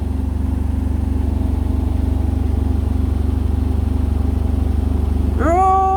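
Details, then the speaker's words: Indesit BWE101683 washing machine on an extra spin after a 1000 rpm push-and-wash: heavy rhythmic thumping about four times a second under a low drone, then a rising whine; shaking, "sounds like a train". Unbalanced, blamed on an uneven floor under the machine. "right now and it's shaking again the washing machine shaking and it sounds like a train again sounds like a train again"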